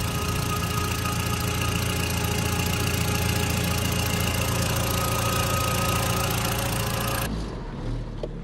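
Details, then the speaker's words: Audi TT Mk1 Quattro turbo, after replacing diverter valve, PCV system, rocker cover gasket and fitting a catch can: steady, even idle with smooth low burble, no ticks, stumbles or hunting; ticking over nicely. "So time to give it a start and see the difference. So that is ticking over nicely."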